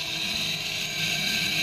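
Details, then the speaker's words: Used REVA G-Wiz motor free-spinning on the bench with regen off, forward drive: steady high-pitched whir with a faint rough edge; owner worries the bearings have gone, unconfirmed. "then i'm a little worried the bearings have gone in there because i can hear a bit of a noise"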